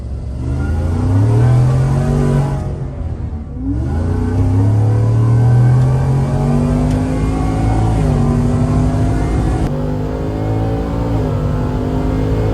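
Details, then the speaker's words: Stage two Whipple supercharged 2022 Ford F-150 5.0L V8, replacement engine with long tube headers: deep, strong note climbing and falling smoothly through revs, no knocks or rattles; healthy. "but when you when you open it up obviously it's a little bit louder but I think it's good so this is a stage two Ruble supercharged F-150 2022 5.0 liter V8"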